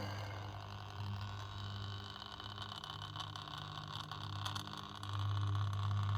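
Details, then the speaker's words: Washing machine drain pump removed from the machine and run live on the bench: a steady low hum with a rough buzzing edge. It is noisy and not right, caused the problems emptying water, and is unreliable to start, so it was worth replacing. "you can hear how noisy that is that's not right see that's why I had problems with empty water"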